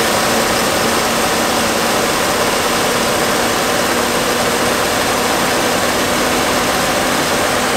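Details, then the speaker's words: 1969 Fargo 500 dump truck, long-stored V8 running on gas poured into the two-barrel carb: coarse steady roar, no stumbles or knocks; smoking pretty badly, slight oil leak at the exhaust manifold, possibly why it was low on oil. "a little bit of oil leaking out of the exhaust manifold I'll trade you that's probably why I was out of oil but it's not really that bad but it is smoking pretty bad"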